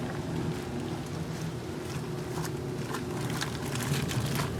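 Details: 1978 Maytag A408S (three bath towels) and 1989 Maytag A482 (two pairs of heavier pants) on Warm/Cold Regular Wash, 8-minute wash, small load level: low steady churning with soft irregular sloshes and no knocks or grinding; loads turning over; normal agitation.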